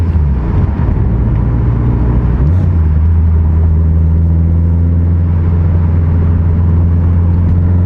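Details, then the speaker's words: Built Subaru STI (forged engine build) on a test drive after fixes: deep, smooth, steady drone settling to a lower even note. No cylinder roughness, AVCS readings normal, no knock, AFRs good under boost; running normally. "from what i can tell so far that little drive we did it's perfect not a single issue no cylinder roughness"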